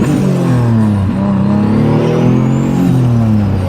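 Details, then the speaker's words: Car back running after being repaired, accelerating up to 60 mph: strong, clean, loud engine note rising and falling through the revs under load, no knocks, rattles or misses. Sounds good again; normal acceleration. "Yeah, it sounds good again. I gotta think, because cops probably think I'm going fast. I mean, I just got up to 60, but you know, she makes some noise."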